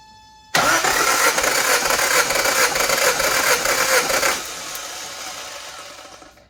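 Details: 1984 Toyota 22R engine, about 200,000 miles, running rough after sitting for years. Compression test cranking with throttle wide open and coil wire off: steady, fairly even cranking rhythm. Reads under 100 and drops to 90, later 105, against a 141–171 spec. Low compression.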